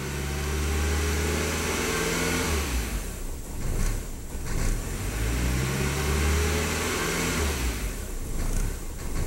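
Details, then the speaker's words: 1999 VW Passat 1.8L turbo held near 3000 rpm with MAF reading stuck around 11: revs hold then waver, sputter and nearly die before recovering; later confirmed faulty mass airflow sensor. "now I'll try and take it up to like 3000 rpm hold it it'll stay for a while then it'll start sputtering and about died"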